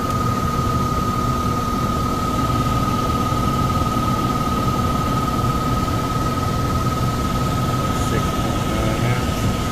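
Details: Downstairs furnace unit, call for fan not turning on, heat mode: constant deep rumble and roar with fixed hum; blower loud and shaking. Tech suspects overamping and shutting off, bearings sound clear but loud on startup; will check rated amps and capacitor.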